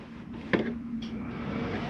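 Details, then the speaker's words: 2022 Coachmen Catalina 303RKDS travel trailer, heat switched on at the thermostat: a click, then a steady low hum as the furnace blower comes up to speed and settles evenly; normal start-up. "Hear that kick on. Now I shut the heat off. You'll notice that it takes a couple minutes for the heat fan to cycle through before it shuts off."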